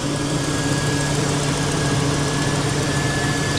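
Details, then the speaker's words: 1999 Chevy Silverado after tune-up and new valve cover gaskets: smooth even low idle with steady hum and no knocks, ticks or misses; normal idle. "Smooth as butter. This thing runs so good."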